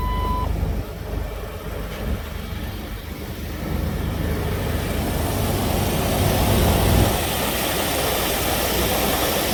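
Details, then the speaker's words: Manual-transmission car just started after replacing a broken belt tensioner and refitting the belt: steady even idle with a smooth low rumble, no belt squeal or chirp; normal idle. "Alright, so there you go. Everything looks good."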